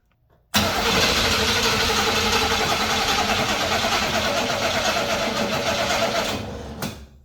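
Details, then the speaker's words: Old small-block Chevy V8 that had been sitting, cranked via AstroAI jump starter in boost mode: starter churns steadily about six seconds without catching; long no-start crank, attributed to sitting unused, started on next try. "one thing about the old cars when they sit they got to do some cranking before they'll actually start so we did get to crank it now we get to try [Music] again"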